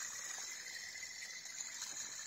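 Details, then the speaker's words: Audi A5 3.0L V6 TDI (CCWA) during drive belt tensioner and pulley replacement, belt loose: a pulley spun by hand gives a steady, gritty hiss and rasp, very noisy, from a worn idler pulley bearing. "i'm replacing the extra tension now because the belt was just loose and i'm doing the pulleys as well listen to this one"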